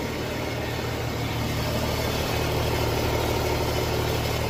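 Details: 2017 Porsche Cayenne 3.0L V6 diesel idling: rough metallic grating over steady rumble, seemingly from underneath between engine and gearbox; cause undetermined.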